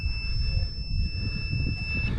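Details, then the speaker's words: Scag Turf Tiger 1 mower during a starter relay replacement: a multimeter on continuity across the brake safety switch gives a steady high beep over low engine noise, then cuts off. The beep shows the circuit is closed and it opens when the brake is released. "You want to take your meter and set it to continuity. If the circuit is complete, you will hear beeping noise."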